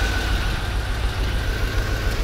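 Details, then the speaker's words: 1992 Corvette V8 start after exhaust repair, new catalytic converters fitted (one was clogged): rough, uneven stumbling idle, definitely a misfire, mic placed next to it. "take a listen put my mic next to it absolutely absolutely a misfire no question about it"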